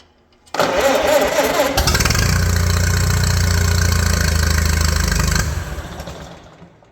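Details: 1941 Case SC tractor, long dormant, first start with carburetor only halfway adjusted, no coolant: cranks, catches, slow lumpy idle then dies away; idle set too low.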